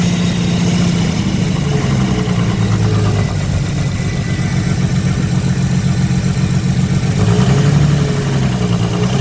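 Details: Nissan Skyline RB25DET Series 2 started for the first time in 8 months: uneven, rough idle with a low fluttering beat that goes away above 2,000 rpm; cause unknown.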